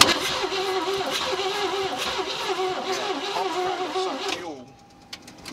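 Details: 1956 Cadillac Eldorado Seville sitting 30 years, cranked to test the fuel pump filling the carburetor glass bowl: steady cranking about three turns a second, then stops without firing; cause not confirmed.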